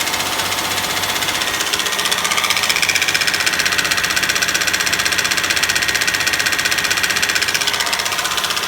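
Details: Honda Legend engine knocking at 2000 rpm; sharp regular tapping about three times a second over the engine note, cause not yet known: engine knock.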